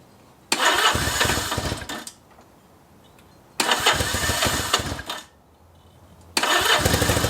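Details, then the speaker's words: 1964 Honda Benly CA95 150 twin, electric start, first start in 30 years after tank flush and new throttle cable; three short bursts catching and running a second each, crisp even firing between restarts; normal idle. "now it's time to see if it'll start man do I love electric start"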